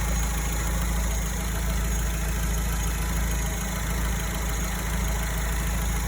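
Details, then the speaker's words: Alfa Romeo 159 after repair of a rattling engine-room noise that appeared after a long drive; the air-conditioning compressor was replaced. Deep, even idle drone with no rattle, grinding or squeal: the noise is gone. "Qu'est-il arrivé à ce bruit étrange? Oh pas de bruit"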